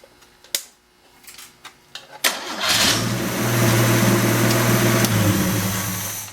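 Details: Engine with rebuilt turbo just reinstalled, first start indoors: a few handling clanks, catches on the first try and settles to a steady, even idle; starts and runs fine.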